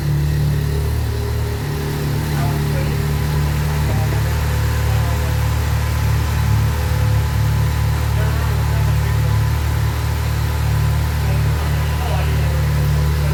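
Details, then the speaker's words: Subaru Impreza GC8 rally car with newly fitted Project X EJ20X engine, twin-scroll turbo, equal-length headers, after good compression test, replacing engine with failed #2 rod bearing: deep steady boxer idle, no knocks or ticks, healthy. "ultimately the trooper is up and running everyone's smiling"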